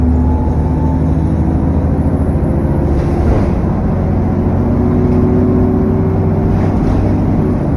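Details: SN61 DDE E210 on a dead run back to MB: heavy diesel drone under way with a thin high whistle and rushing fan roar on top, turbo whine and loud cooling fan thrash.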